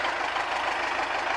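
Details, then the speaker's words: Tractor, cold start in frost after about -10 overnight, batteries charged nearly a day, started only with preheating (won't start without it); now idling with steady, even diesel clatter, no misses or knocks; owner suspects the Cheboksary starter, not the batteries. "Я тоже завел Как видите опять с подогревом без подогрева он вообще не хочет"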